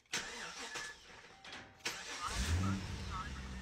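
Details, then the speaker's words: VZ Commodore LS1 no-start fixed by grounding the starter relay trigger: short starter cranking, engine catches and settles to steady idle; starts cleanly every time. "she turns over every time got no fuel gauge warnings and uh fingers cross is a go"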